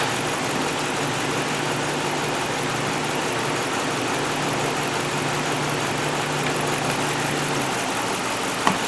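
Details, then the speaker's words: 2010 Dodge Ram 2500 5.7 Hemi V8 idling with a faint uneven lope: misfire on cylinder 7 after rodent-damage wiring repair. Coil swap didn't fix it; scope shows power and a good primary side but no coil current, so the coil never fires. "We know we have power. We know the primary side is good, but we have no current."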